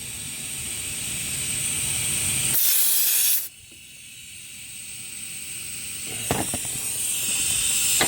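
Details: Dodge Caliber SRT-4 intake tested at 10–15 psi with a boost leak tester after a manifold gasket install: a loud, steady high-pitched hiss of escaping air cuts out briefly, then returns. Boost leak at an open vacuum port; injector O-rings also bubbling.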